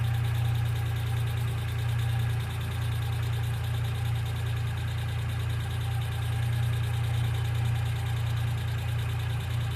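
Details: 1995 Geo Metro idling: light, quick ticking of about three per second over the hum, typical of a noisy hydraulic lifter. B-12 fuel injection cleaner is added to the engine oil before an oil change.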